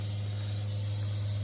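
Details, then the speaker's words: Newly installed Waterdrop 600G under-sink RO system, first start-up: steady high hiss over a low constant pump hum; owner suspects a water leak, source not pinned down or confirmed. "I just don't like the sound of that because it sounds like it's leaking water, so I'm going to look into that and we'll get back to it, but"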